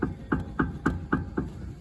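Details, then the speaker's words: 2013 Kia Optima LX popping over bumps and gravel roads, wheel off: the joint wiggled by hand gives six sharp dull clunks about every quarter second. The outer tie rod end is worn and loose, causing wobble and uneven tire wear. "that's because this joint right here the outer tie rod end is getting worn and loose in there causing quite a wobble which is also causing some uneven tire wear"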